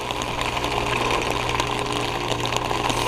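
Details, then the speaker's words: Heat pump outdoor unit defrosting on a very cold day with ice on the fan blades being melted off with steam: steady low hum with a hissing, gushing rush of refrigerant and water; normal defrost cycle. "yeah it's a really cold day right now look at the look at the blades they have ice on them look at that it goes M the ice away"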